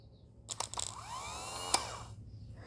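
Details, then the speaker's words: New Ocpty replacement starter for a 19 HP Kohler twin-cam engine on a Troy-Bilt Super Bronco tractor, bench-tested on a small battery: contact snaps, then a rising whirr spinning up and coasting down freely; old starter was dead. "now let's do the new one even if it's with a small battery it will still do it watch this see it i hope you saw it right there"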